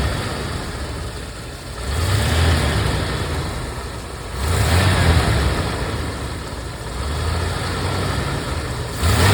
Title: Rolls Royce Silver Wraith II engine rattling sound